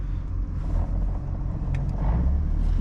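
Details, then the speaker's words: Single-turbo BMW N54 daily driver with a Spec Stage 3+ clutch and single-mass flywheel; a low gravelly rattle sits under the engine rumble at low revs. The clutch is loud, grabby and on/off, typical single-mass flywheel clutch noise. "This um this also makes daily driving kind of suck. It's a spec 3 plus with a single mass flywheel."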